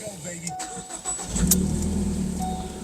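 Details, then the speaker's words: 2016 Ford Focus SE with a Mazdaspeed 3 dual exhaust, which had rough-idle problems, started after a spark plug change: the starter whirs briefly, then the engine catches cleanly and settles into a steady, even idle with no stumble. A normal start. "sounds pretty good your focus sound me very you know I have that uh uh Mazda Speed 3 dual exhaust in the back so your focus may vary on sound but I love it it doesn't feel like it wants to die"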